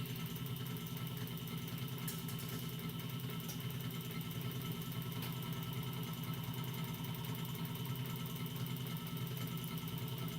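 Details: DeWalt 788 scroll saw switched on while disassembled for inspection and bearing lubrication: steady low hum with fast, even blade-stroke chatter, no knocks or grinding; runs smooth and healthy.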